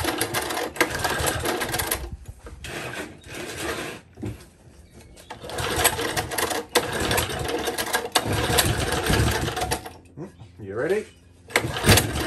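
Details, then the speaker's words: Old Tecumseh four-stroke engine on an edger, spark confirmed, sputters unevenly, surging and dropping out every couple of seconds; rough running, likely lean or a dirty carburetor, owner suggests opening the main jet for more fuel. "a bit more fuel and it might also need a little bit of a tweak a little bit of a tune you can try and open the main jar up and that should allow more fuel through it might even clean up whatever the issue is"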